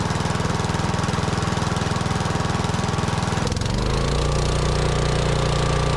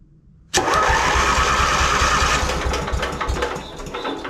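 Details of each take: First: Lincoln Weldanpower AC/DC welder-generator with a Briggs & Stratton 16 hp engine, stored outside three years: steady thumping run, then a jump to faster high idle; it then starves and shuts off. Rust found in the fuel tank causing fuel starvation. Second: Lincoln Weldanpower welder with Briggs & Stratton 16 hp engine, after starter and start solenoid repair; quiet, then engine catches at once and settles into a steady even beat; normal engine start.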